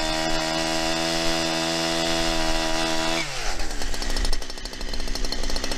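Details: New Holzfforma 372XP chainsaw cutting wood: high steady scream at full throttle, then pitch drops sharply and labours in the cut, not reaching high rpm; possibly needs carburettor tuning.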